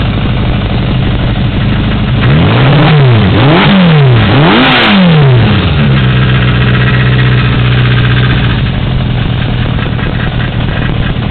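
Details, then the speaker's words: 1982 Yamaha XJ550 Maxim four-cylinder, about 12,475 miles, after carb rebuild and rejet from 1.12 to 1.25, K&N pod filters fitted and airbox removed: it blips cleanly up and back down several times, then settles to a smooth, even idle. Normal idle and revving. "had uh the carbs rebuilt, rejetted, um K&N pod filters put on there, the airbox removed, and let's start it up."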